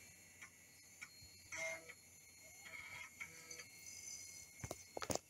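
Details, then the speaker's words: 1997 PC, rebuilt after motherboard short and failing floppy drive, booting from floppy with Windows 95 CD inserted: faint irregular clicks and brief whirs of normal drive seeking and reading. "while it's starting I'm also going to put in the CD can hear the dve doing its"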